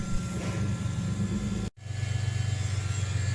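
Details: BMW E46 328Ci after a DIY swirl tank install to fix fuel starvation: steady low electric hum with even pitch, no surging or whining; fuel pump running normally.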